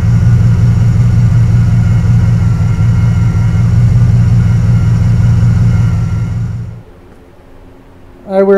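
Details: Carbureted Camaro Z28 V8 with a stalling history, after a distributor swap and radiator repair, timing set to about 6.5: a steady, even idle with a smooth lope and no knocks, then the engine cuts off. It sounds healthy.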